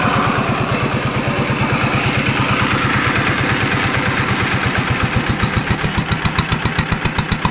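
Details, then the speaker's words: Yanmar TF115 LM single-cylinder diesel after repair for hard starting (pump plunger replaced; inner bearings not done): steady, even idle chuffing, firm regular beat, no missed strokes; idles normally with good pressure. "เดินเบาได้ปกติครับมีแรงดันขึ้นดีครับ"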